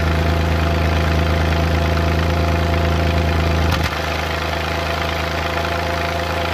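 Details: Suzuki Multicab F6A engine at idle: uneven beat with random "tak...takatak...tak" stumbles and taps breaking the rhythm; random misfire at idle.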